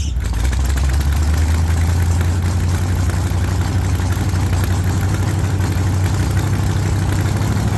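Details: 1948 Chevy Fleetline small-block V8 (4-speed), freshly started after sitting a while and a motor repair, after heavy throttle pumping: deep, loud rumble through open headers at a steady, even idle with no misses or knocks. Runs fine.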